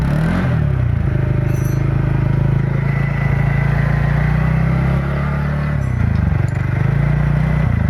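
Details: TVS NTorq XP BS6 scooter engine after a loose nut was tightened (rattle blamed on loose nut/bearing): steady, even low hum with a smooth throttle blip and no tapping or rattle; runs healthy.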